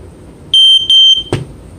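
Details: Sears 302.57475 smoke alarm with silencer, final test: two sharp steady high-pitched horn blasts of about a quarter second each in a quiet room; alarm sounds normally.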